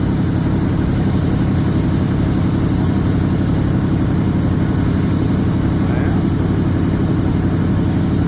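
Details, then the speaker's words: 1978 Chevrolet K20 V8, carbureted, first start after sitting under a tree for years: steady, even rumble with no misfiring or stumbles, but idle speed is way up, too high; not charging, no coolant in it. "that happened a lot faster than I expected I actually ran really good too there was no misfiring idle is way up there"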